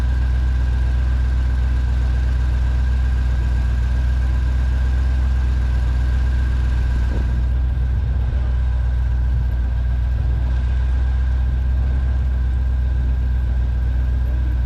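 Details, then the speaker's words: 1965 Ford 289 4-barrel V8 (225 HP) on engine stand, for a 1955 Ford pickup: low, uneven lumpy idle, blubbering and shaking when revved; misfire traced to ignition points not set right. "okay well you probably heard it uh blubbering a little bit there when we'd rev it up and start shaking and stuff uh what we found was that the uh points were not set right"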